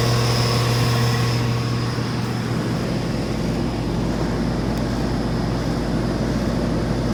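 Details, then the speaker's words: 2016/17 Rheem 2.5-ton dual-zone central AC outdoor unit on first start-up of the cooling season: steady even fan rush over a low constant hum with no knocks, rattles or surging; running normally. "yeah so far they seem to be running good which is good"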